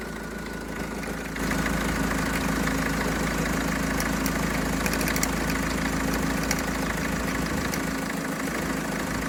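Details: Renault Trafic diesel work van, nearly 240,000 miles, started with old alternator refitted and belt tightened; steady droning hum with faint ticking at idle, noise persists; dodgy alternator blamed for bearing-like noise.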